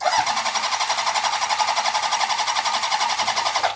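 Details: Honda CB750-based chopper after cylinder head and valve work: starter cranking with even, steady compression pulses and no uneven beats, spinning to check that oil pressure develops. Compression sounds fine.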